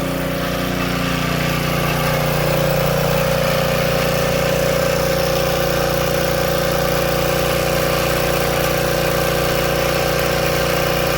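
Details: Old Tecumseh-powered generator revived after years outdoors in rain and snow: constant, even drone with a steady hum, no surging or hunting; running smoothly and healthy.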